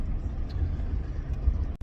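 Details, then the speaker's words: 2003 Chevy S10 extended cab 4x4 driving over bumps after replacing the third-door latch and adjusting it to close tighter: steady low cabin rumble with no door rattle; only loose screws on a rack rattling behind. "Well, we've hit some pretty good bumps, and I ain't hearing any kind of rattling in this door at all, so I'm going to call that a win."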